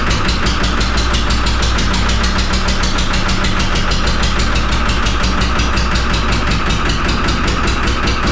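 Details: Cold, just-started 3-cylinder Lister diesel from a harbor boat that was full of water: heavy, uneven chugging with a hard knock each firing and wandering speed under heavy throttle. Owner suspects air in the system or water in the crankcase.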